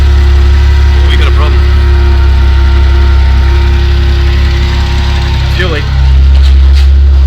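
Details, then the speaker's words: Isuzu NPS truck with transplanted Euro 5 engine, still cold, plugs and coils just refitted: heavy steady idle with occasional stumble where the beat drops out; definite intermittent misfire, owner doubts it's a coil, cause unconfirmed. "so every now and then she'll look up there it is so yeah she's definitely missing i don't think that's a coil"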